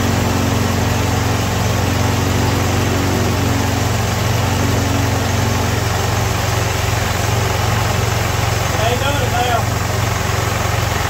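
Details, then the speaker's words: Ford M151A2 MUTT military jeep, 141.5 cu in engine, stored 20 years: rough idle with heavy, fairly regular knock near three a second from low in the block, pistons or rods suspected; cause undetermined. "Yes, sir, there's something wrong with that motor. It took it, I don't know, 10, 15 seconds maybe. She went to riding like a diesel."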